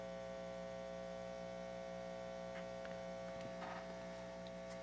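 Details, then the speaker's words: Organ tube amp being restored, on isolation transformer: steady low constant buzzing hum, 60 Hz, louder as volume rises; this amp far noisier than its twin; mains hum, cause not yet found. "so this one amp has a lot more noise significantly more that's too much that is too much"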